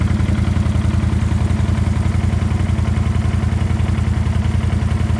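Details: Warm CanAm Outlander 650 XMR at steady idle; a light, even tapping rides on the firing beat, quieter once warm and barely heard; faint engine knock.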